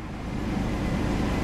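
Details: 2000 Chevy Blazer after fuel pump replacement and tank reinstall, about 2.5 gallons of gas added, key on to pressurize first: engine catches and builds into a smooth, steady low rumble, no stumbling; normal start and idle.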